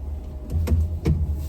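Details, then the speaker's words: Ram Promaster van, turning the wheel: sharp pops and clunks over quiet idle as the spring catches and releases while rotating, with a springy boing; worn strut bearing. "what I'm doing is I'm turning the wheel hear that okay that is a strut and that noise is the spring catching as it rotates cuz the whole spring thing rotates and it's catching and releasing because the the strut bearing is bad"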